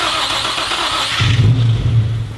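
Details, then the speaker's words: Rebuilt junkyard Nissan 350Z engine, after factory gauges showed oil pressure built: catches and settles into steady even low rumble, no knocks or ticks, healthy; exhaust has a hole underneath. "I decided to grab the factory gauges and plug them in because there's an oil pressure gauge on there. And this is what she sounded like after she built some oil pressure."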